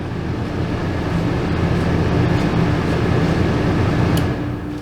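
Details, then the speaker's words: Old RV air conditioner with its thermostat switched off: a continuous low hum and rumble with no cycling. The compressor never shuts off, drawing 7.3 amps on the blue wire, and only cutting the breaker stops it. "something's still running sounds like the compressor it never shuts off"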